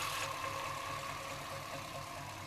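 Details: Chevrolet C-1500 Scottsdale, 350 TBI, at idle: a lumpy, pulsing low idle with a hissy top end that sometimes drops so low the engine dies; rough idle, cause not found despite many attempts.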